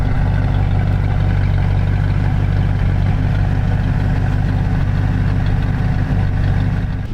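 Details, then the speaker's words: 1937 Ford Tudor Bustle-Back street rod, Ford V8 with electric choke and full-size mufflers: low, even idle burble with steady rhythm, no knocks or misses; runs very smooth and quiet. "Runs very smooth. Likes them nice and quiet."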